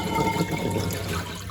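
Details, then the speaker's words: Bosch WFP3300 washing machine, heavy limescale, 90° cotton wash with citric acid: near end of draining, drain pump sucks air with gurgling, slurpy water over low pump hum, then spin begins; normal dry running. "it should start gargling and spinning there it is that's the pump dry hunting there now"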